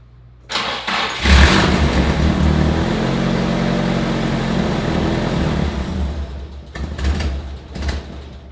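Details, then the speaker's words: Nissan 180SX with newly installed HKS Hi-Power exhaust, just jump-started: starter catches, engine bursts into a lumpy, uneven, super choppy idle for about five seconds, then stumbles and dies right on startup; rough running and stalling, cause not yet found. "now I just want to show you guys just like what it sounds like it's super choppy and not clean at all"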